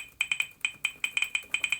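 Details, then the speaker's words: HP laptop keyboard disabled by holding right Shift 8 seconds: sharp high ticks, about a dozen in two seconds at uneven spacing, one per key press; normal feedback clicks that usually stop after a while. "nothing works. The keyboard is disabled. You can turn off the speakers if you don't want to hear that ticking, the clicking, or usually it goes away after a while."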